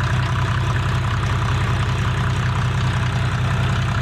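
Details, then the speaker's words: A 1987 Mercedes 300SD W126 turbo diesel (OM617 per title, called OM603 when started) with 264,000 miles, just jump-started, gives an even idle clatter of about 2.5 knocks a second over a deep rumble. This is a normal diesel idle. "walk outside here bulletproof motor there sounds like an old mercedes diesel clickety-clad clickety-clack you can't kill it there we go"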